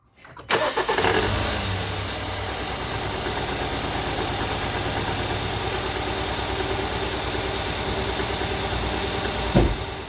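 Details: 2017 Hyundai Santa Fe Sport 2.4 with code P0301. Engine cranks, catches and idles with a faint uneven stumble: cylinder 1 misfire, with the spark plugs being checked for oil consumption.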